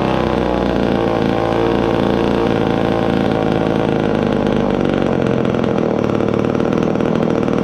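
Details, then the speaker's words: Old Poulan 306A chainsaw, sat for years, first run after carburetor rebuild and cleaning: steady two-stroke buzz that wavers and stumbles at idle; rough idle, carburetor not yet tuned. "well old saw and carburetor cleaning still need some fine-tuning I'll probably make another video on getting this thing tuned properly"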